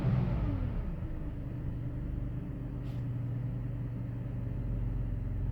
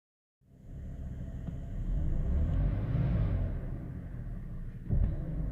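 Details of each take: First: 2005 BMW 530i petrol engine after replacing the idle control valve to cure rough idle: drops from a brief higher speed to a steady, even, low idle. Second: 2005 BMW 530i petrol engine at idle, before replacing the idle control valve: deep, uneven rumble pulsing about four times a second, a rough idle.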